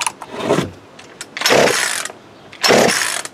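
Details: Worn-out Craftsman chainsaw bought for parts, no muffler, only backfired earlier: three slow, uneven pull-cord rasps with a light, easy spin and no firing; next to zero compression.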